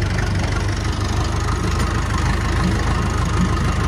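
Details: Massey Ferguson 290 diesel tractor after bleeding air from the injector lines to fix a no-start: steady low diesel clatter at idle, about three firing pulses a second, even and unbroken. Normal idle.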